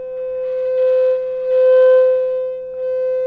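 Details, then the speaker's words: Old reel-to-reel conversion single-ended 3W tube amp fed a 500 Hz tone, internal speaker not screwed down: buzzy, rattly overtones swelling in bursts. Resonance distortion from the loose speaker mounting. "now we're getting some distortion out of this thing because it's not screwed meinl turns down stop screw down so we're getting some resonance out of this thing"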